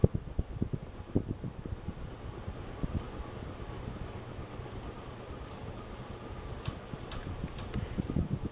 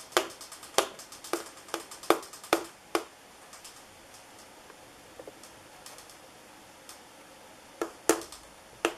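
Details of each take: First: 1980s Moss WF Series 132 cm polished-brass ceiling fan, made in Hong Kong (speeds est. 55/120/160 rpm), one of the quieter units: soft smooth airflow, no hum or tick, faint irregular rustle; running quietly and healthily, moving plenty of air. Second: 1980s Moss WF Series 132 cm ceiling fan, made in Hong Kong, on high speed (about 160 rpm estimated): light sharp clicks in uneven clusters over faint fan hum, caused by the textured paint finish.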